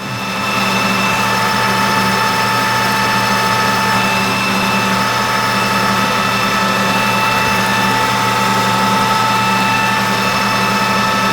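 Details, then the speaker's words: 1988 Rutland lathe roughing 1/8-scale steam wagon axle blank with new insert tooling at about 620 rpm under heavy cut; steady high singing ring over motor hum, possibly harmonics from inside the cabinet, not showing on the part, source unconfirmed. "That's just a little bit of harmonics here somewhere. I mean, it's not showing up on the part, but I can hear it. It could even be something down inside the cabinet."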